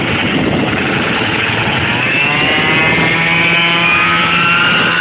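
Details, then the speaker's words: MBK Next Generation scooter with 70cc Stage 6 Pro two-stroke, Dell'Orto PHBN carb, long final transmission, recorded climbing a hill: buzzing engine with a high gear whine rising with speed; normal long-transmission noise. "Donc on entend le bruit de la transmission longue justement."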